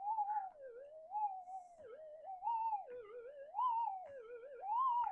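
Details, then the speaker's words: Minelab metal detector with variable damping mod at full factory damping. A warbling tone rises and falls about once a second over a steady hum; the 0.05 target response is buried in the noise. "And we'll see if we can hear the 0.05 now. It's in the noise."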